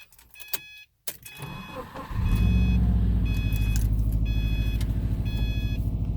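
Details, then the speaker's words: 2009 Subaru WRX with a brand-new EJ255 long block, about 11,000 miles, cold start heard from the cabin. It cranks, catches and settles into a fast cold idle with a steady rhythmic tapping. Owner suspects rod knock; unconfirmed. "I'm a little concerned this would be the second engine that I've had rod knock in a different Subaru this time but anyway so I'll fire it up cold start to see if you guys can hear it from the cabin"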